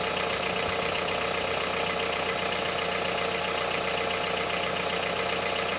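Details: Honda CR-V III 2.4 petrol engine at idle with harsh, clattery diesel-like tapping at roughly three beats a second; knock at idle, cause not yet pinned down.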